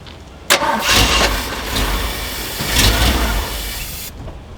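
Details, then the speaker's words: Jeep J10, believed a 1978 with a 360 V8, that sat for years, running on carb cleaner: catches with a bang, runs rough about three seconds, then cuts out; owner suspects the fuel pump isn't pumping fuel to the carb. "let me try it is once it gets done with the carb cleaner it just shuts off it's like it's not pumping up there"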